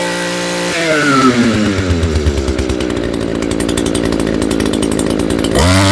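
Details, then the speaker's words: Echo PE225 edger two-stroke after fuel line and carburetor replacement: catches and climbs to a steady crisp high scream at full throttle, holding revs without bogging; normal full-throttle running. "all right we're going to start it up bring it to Full Throttle and then adjust as needed"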